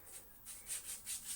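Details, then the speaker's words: Dyson DC24 vacuum motor unit reassembly; freshly greased ball race turned by hand gives a soft dry rub pulsing about five times a second. Smooth and normal, inaudible in use. "it's gone really smooth love themself doing like that you can hear it that's probably gonna be how it goes when you're vacuuming you're not gonna hear it"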